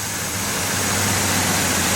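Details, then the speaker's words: GMC truck after alternator pulley repair (pulley drilled and surface trued on a lathe, reinstalled): steady even engine run with constant hiss, no squeal, chirp or rattle; bad noises gone, normal running. "Alright, let's put it back together. Alright, girly whirly, crank it up. Oh, look. No more bad noises."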